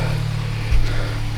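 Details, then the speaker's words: Turbo Toyota GR86 just fitted with 1050cc injectors and a DeatschWerks 300c fuel pump, no injector leaks; deep, smooth, even idle with loud injectors and fuel pump, no misses, running healthy. "She's loud and proud. Sounds healthy. So as I said before I got interrupted, it's running, it's healthy."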